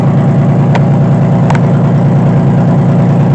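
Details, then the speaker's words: 2005 Honda Pilot just started after timing belt work, with oil poured into the cylinders for compression and no coolant in it yet. Steady, even low idle with a smooth, regular beat and no knocks or misses, smoking heavily from the oil. "It's running now. Oh boys, there's the smoke everywhere. Oh my gosh, look at that. Woo! But it runs."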